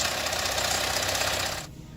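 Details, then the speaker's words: Vauxhall Adam, recovered with a major engine noise, started close up during strip-down (intake cam timing fault code): harsh, rapid metallic clatter, loud and constant until it cuts off; timing chain was suspected, but the oil pump had failed. "we're stripping the engine now so we've got a little bit closer if we just start this engine or you'll hear what we mean that sounds absolutely horrendous"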